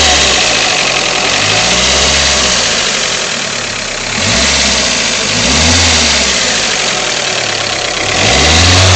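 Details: Freshly rebuilt Toyota 4AGE 20V, about 500 miles since rebuild on break-in oil, possibly 20W50, no oil use or smoke; light regular tick at idle; owner suspects valves or VVT pulley. Ticking at idle.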